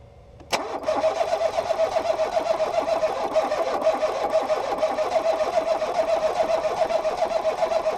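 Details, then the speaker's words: 2018 Ford Focus SE parts car with suspected water in a cylinder, plugs back in after blowing out fluid that smelled of fuel; starter cranks in a steady churn for several seconds without catching; owner suspects a weakened battery; engine-fault service message shown. "St oh it's trying but oh it's not trying anymore maybe I killed the battery too much"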